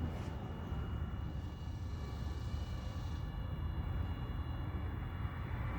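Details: Mercedes W108 fuel line flush, electric fuel pump battery-powered through disconnected tank feed line, system dried up, some dribble: constant low drone with faint steady whine, no stutter or grinding; pump running normally.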